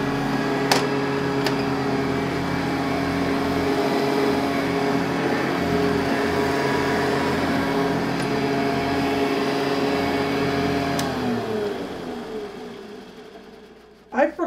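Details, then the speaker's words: Metal-base Hoover upright vacuum, model 1070, using genuine Hoover HEPA A bags, recorded with studio mic: smooth even quiet motor hum then wind-down; normal running. "forgot how quiet this machine was it is so quiet"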